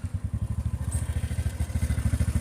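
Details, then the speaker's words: TVS Ntorq 125 scooter at idle: even low thump with a faint gritty, grinding chatter on top; a mechanic diagnosed a worn starter one-way clutch. "ये देख रहे हो किरकिर की आवाज आ रही है इसमें। ये पहले मैंने किसी मैकेनिक को दिखाया था तो वो बोल रहा था कि इसमें ना वन वे की दिक्कत आ रही है इस जगह पे अंदर।"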